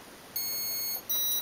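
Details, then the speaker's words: Turnigy Basic 18A ESC with EH200 brushless motor on an MJX F645 in programming mode giving a clean beep held about half a second, then a tone at another pitch; one long tone selects startup mode. "three beeps cut off mode four beeps cut off threshold one long startup mode"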